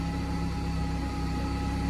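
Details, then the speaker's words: Turbo Esteem with electric supercharger, idling after a fuel pump upgrade, belt slightly loose. Low, steady, even hum with no hunting. The earlier idling issue is now stable. "ഇതിന് ഒരു ഐഡിയലിങ്ങിൽ ഇഷ്യൂവും കാര്യങ്ങളൊക്കെ ഉണ്ടായിരുന്നു, അപ്പോൾ ആ കാര്യങ്ങളൊക്കെ ഇപ്പോൾ stable ആയിട്ടുണ്ട്"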